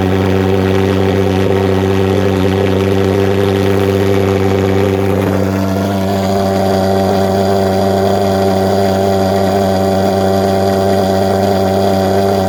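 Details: Vectorfog H100SF gasoline pulse jet thermal fogger on VP Racing canned fuel, started by holding the start button 8–10 seconds, solution tank shut: loud, steady droning buzz settling to one constant pitch after a brief change; normal running.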